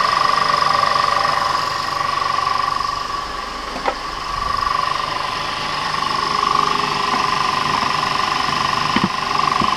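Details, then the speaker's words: Audi 3.2L FSI first start after upper timing chain tensioner replacement: steady even idle, light regular ticking about four per second over smooth hum, no chain rattle; sounds healthy. "and now you could try to start it sounds good"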